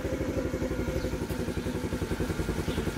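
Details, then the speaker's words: TaoTao 50cc Chinese scooter after new carburetor floats fitted: uneven, lumpy putter with beats dropping in and out at low idle; it won't hold idle and bogs on throttle, sputtering and about to stall, cause unknown, owner considering a new carburetor. "it's it's sputter and it's about to die yeah it's just it's dying on me"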